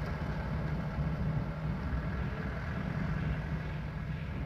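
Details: 1994 Toyota Dyna 4x4 diesel fire truck, 4,200 original miles, regularly maintained, recorded outside near the engine and fuel tank: low even diesel rumble at idle, steady beat, no knocks or misses; healthy idle.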